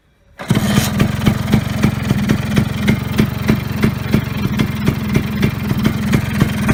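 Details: Vespa Sprint Veloce two-stroke scooter, first start after repairing the wiring harness; catches on the first try and settles into a crisp, even idle with a steady beat and no misses; runs healthy.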